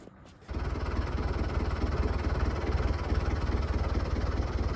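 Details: Lifan 7hp GX200-clone engine on a Frontier OS18 sawmill after a head gasket repair (loose bolt caused zero compression; suspected factory defect). It pulses steadily about three beats a second with even firing and no knocks or misses, running healthy.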